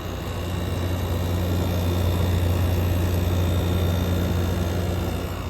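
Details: GE air conditioner in cool mode: steady low hum with fan rush, fan splashing collected water and leaking, compressor sweating cold; running and cooling normally.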